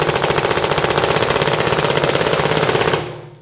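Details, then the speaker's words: 2009 Smart Parts Shocker NXT paintball marker, 2009 board in NXL mode (three pulls, then hold for full auto); fast even string of sharp pops, roughly a dozen a second, then clean stop, cycling properly. "Okay, so that's NXL full auto."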